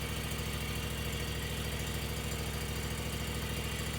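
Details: Zero-turn mower running after hydro drive belt replacement and tensioner reset: steady, even engine beat at about 160 pulses a minute with no belt slap or rattle. Belt tension is good and the drive is healthy.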